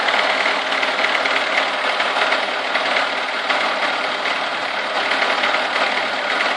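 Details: Chevrolet Niva with a cold engine at about 30 degrees: a fast, uneven tapping knock of about three a second; the source cannot be pinned down.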